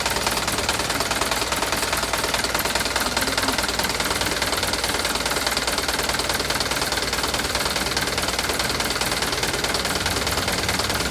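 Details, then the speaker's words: Mitsubishi Canter diesel truck idling fairly evenly with quick, steady light tick about two per second over the clatter; mechanic suspects valve clearance adjustment; ticking at idle. "Ini suara klep, kayaknya ini suara klep ya, tik klep. Sebenarnya halus sih, lumayan halus ya, cuman itik-itiknya ini tadi, cuman kemungkinan besar itu setelan klepnya."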